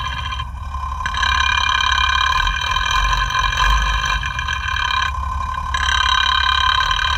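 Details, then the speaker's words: FAW truck 260hp diesel after engine overhaul, idling with mic at pump: loose, uneven tak-tak tick about four per second over clatter; number one fuel injection pump plunger knocking louder than others, pump opened for setting. "जैसे कि एक piston जो है वो said मार रहा है टक टक टक टक इस तरह से आवाज आ रही है"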